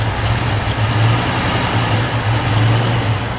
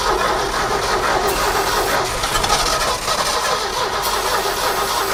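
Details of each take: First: Abandoned 1969 Ford F100 sat over 30 years, V8 idling smooth and even with no internal knocks or ticks and no smoke, after running a hot wire from battery to coil to bypass switch power loss; fuel pump still not pumping. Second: 1969 Ford F100 sitting 30+ years cranks steadily for several seconds without firing; distributor points not sparking consistently, so the points were cleaned and the old coil was to be replaced with a new one.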